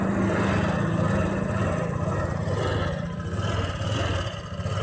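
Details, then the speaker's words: Honda Click 125 scooter that would not start, with lights flickering; three faulty switches were found (brake light, sidestand), and the fuel pump motor is fine. It now burbles along at a low, slightly uneven idle with no clatter or squeal, running normally. "Bale walang problema yung kanyang fuel motor ano yung fuel pump motor. Ayan umandar na yung motor."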